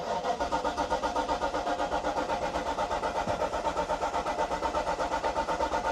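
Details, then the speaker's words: 1995 Mercedes-Benz R129 SL500 5-litre V8, sitting unused for years, jump pack connected, fuel age unknown: steady even cranking at about four turns a second with no firing; crank no start, possibly no fuel. "It's turning over, not starting. It's possible there's no fuel."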